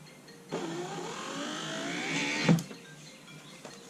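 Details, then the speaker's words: Lincoln Town Car power window motor, tested on a jump battery with heavier-gauge wire after thin wires seemed too weak; motor whines up smoothly then stops with a thump. It had popped as if stuck the first time, and now works. "Well, that works. Let's try running it up and down one more time."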